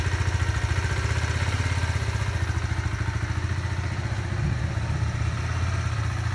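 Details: Kawasaki Z125 Pro, 3 weeks old with just over 100 miles, single-cylinder four-stroke at warm idle: fast, even light ticking over the exhaust beat, starting once warm; owner unsure if normal.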